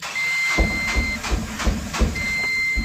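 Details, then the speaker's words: Mahindra Jeeto Plus BS6 with a DPF/urea (DEF) fault: the 50 km warning countdown has run out and the display shows "start denied". Steady starter cranking under a warning beep; it never fires, blocked by the start inhibit. "Second generate है और इसमें लिखा आ रहा है start denied this mall function. अभी गाड़ी start भी नहीं होगा।"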